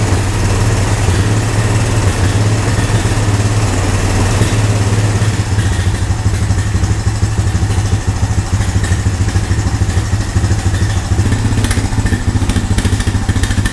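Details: Honda ATV found at a yard sale, revived with no parts after checking spark and compression and adding fuel: steady single-cylinder thump with a deep, even beat, no misses or knocks; healthy, clean-running engine.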